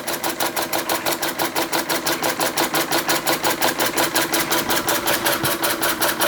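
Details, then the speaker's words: Restored Empco B-43 model steam engine run as slow as possible under its own steam: soft, even chuffs just under three a second, steady with no knock or stumble; running sweetly at low speed. "so yeah obviously but see how slow we can get it to run"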